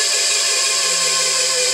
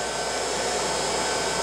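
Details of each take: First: New electric motor on a 7.5 kW VFD on a glass crusher, replacing a 5 hp gas engine. Harsh, steady high whine with a gritty edge, noisier than the owner's other silent motor; dry bearings, quieter after greasing. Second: Glass-crusher electric motor on a 7.5 kW VFD driven at 120 Hz, measured 3595 rpm against a nameplate of about 3490 rpm. Steady, smooth high-pitched whir with an even airy rush, no knocks or rubbing; normal running at high speed.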